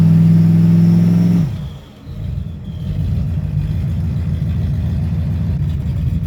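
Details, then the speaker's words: 1995 Ford Mustang after swapping in a C4 3-speed automatic, two-stepped in the driveway; engine held at steady high rev, then drops back to a firm even low rumble, settling cleanly; sounds pretty good, normal revving. "As you saw, we were two-stepping it a little bit in the driveway. Sounds pretty good."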